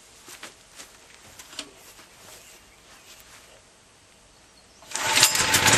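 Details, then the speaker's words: Hot-weather (mid-90s) start of a 196 cc 3250 W portable generator, not run in a while, fuel valve on, choke possibly unneeded: handling and a pull, then it fires on the first try and holds a steady strong run; normal generator start. "so let's go ahead and turn on the fuel valve and fire it up I don't know if I'll need any choked or not considering how hot it is out here but I'll try it and see what happens"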